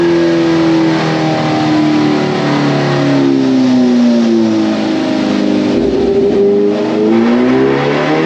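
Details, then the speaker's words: 2022 Kawasaki Ninja H2, supercharged, warmed up, stock ECU, revved outside before a dyno run that made 196 hp: pitch climbs steadily, then stalls and hangs flat near the top; rev hang from factory ECU throttle restriction at high rpm. "Now you can hear in the video, the thing revs up, sounds like it's normal, everything is going good, and you just hear it like literally hang."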